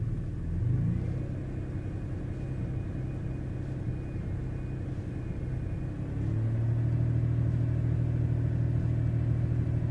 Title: Misfires